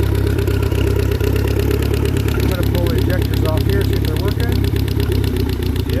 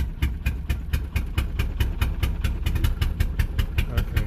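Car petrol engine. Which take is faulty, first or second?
second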